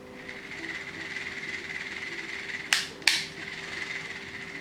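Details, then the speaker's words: Shimano Curado DC 151XG baitcasting reel, new and not used long, cranked steadily before service: it gives a rough, raspy, gritty whir instead of a smooth hum, as its owner complains. "Jadi Om Vidi ini ngeluh pada saya bahwa reelnya ini baru, belum terlalu lama, tapi suaranya udah kasar, ngorok. Seperti ini suaranya."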